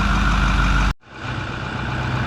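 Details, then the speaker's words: 6.4 Powerstroke diesel after water pump replacement, bleeding air from coolant at 114: steady raised high idle with an even drone, no knock or squeal; normal so far, no new leaks seen. "So far so good. Got high idle, as you can hear."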